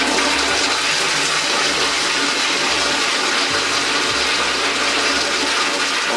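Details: Toilet cistern after float shutoff valve repair, flushed by hand: loud rush of water draining from tank, then steady hissing refill with no overflow gurgle; flushes and refills normally.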